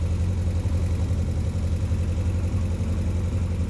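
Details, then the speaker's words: 1967 Triumph Spitfire Mk3 engine on first start, lumpy shaking idle blamed on uneven compression, 110 on one cylinder and 150 on another; oil pressure dropping, radiator suspected blocked, fuel gauge erratic. "is shaking because of the uneven compression 110 there and 150 here"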